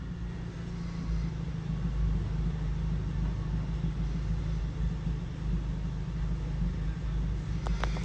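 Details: Rough, uneven low rumble at high idle on a 2012 Honda Civic Si: scanner logs misfires on all four cylinders, but scope shows the ECM is not firing the #4 cylinder injector; ECM needs replacing.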